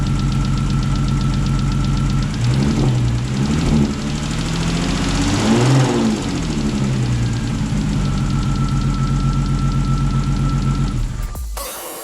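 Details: Rebuilt 3.2 VR6 in a Mk4 Golf R32 at its first start after the rebuild: catches and settles into a smooth, even idle with a brief rev midway, no knocks or misses. Sounds healthy.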